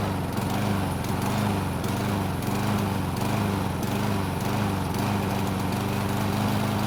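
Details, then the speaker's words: Hard-to-start Toro mower, warm restart: engine speed rises and falls about every second and a half instead of holding one note, surging/hunting at idle. "as you've just heard it doesn't run at one tone it's going up and down and i hate to say it but it's more noticeable in person"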